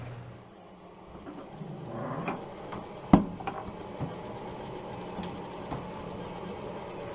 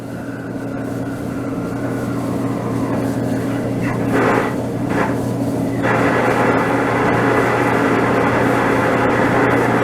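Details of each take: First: DE-N35FY clothes dryer after a fix for a bad abnormal noise: belt replaced, disassembled, cleaned and oiled. Soft motor start, a couple of light clicks, then a low, even drum rumble with no squeal or scrape; runs normally. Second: DE-N35FY clothes dryer with severe abnormal noise before belt replacement, cleaning and lubrication: continuous rough rumble with a clattering rhythm that grows louder midway from the drum drive.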